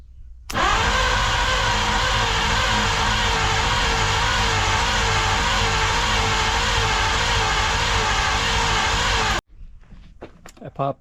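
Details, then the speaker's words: 1953 Studebaker Starliner, off road possibly 45 years, 12-volt direct to starter with 6-volt ignition: fast steady starter whir with compression pulses about nine seconds, no start; spark inconsistent, owner suspects dirty ignition points. "The spark doesn't look real consistent. So, I think it might still be the ignition points not clean enough. So, they don't always make contact."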